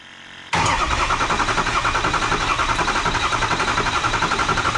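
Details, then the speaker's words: 6.0 Powerstroke diesel F250 first start after new oil cooler, EGR cooler, charge pipes, rebuilt injectors, seals, coolant flush, fresh Rotella T6 oil: catches at once into a steady, even idle with clean injector clatter, no misses or knocks; sounds normal. "that's what it's supposed to sound like good"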